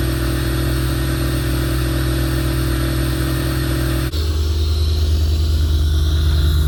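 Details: 1988 Corvette V8 first start with intake removed, on a newer 800 CCA battery; settles into a steady, deep lumpy idle with even firing and no knocks or rattles; normal idle.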